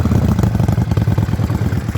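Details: Yamaha Virago XV535 V-twin misfiring at idle: loud lumpy idle with uneven, stumbling beat and irregular gaps; one spark plug heavily carbon-fouled, owner suspects carburetor tuning. Cause not confirmed.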